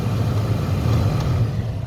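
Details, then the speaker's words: Renault Scenic Mk3 heater blower that had stopped and stuck, resistor replacement didn't help; after spraying lubricant into the fan, steady even whoosh on all four settings with no dropouts or fading. "we are blowing on all four settings it doesn't seem to be fading away"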